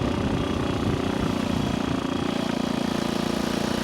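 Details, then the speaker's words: 1964 Honda C200 pushrod single on its first ride after sitting for years, with good compression and no front brakes, doing 30 on the road. Steady, even, crisp putting beat with no knocks: normal running. "well oh look at this we're doing 30. he runs good"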